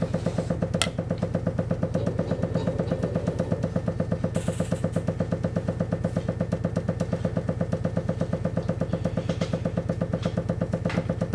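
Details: Water hammer: rapid, even knocking in the pipes, about three thuds a second, while the boiler runs; on boiler start-up the already dripping tap drips faster, creating a repeating water hammer cycle.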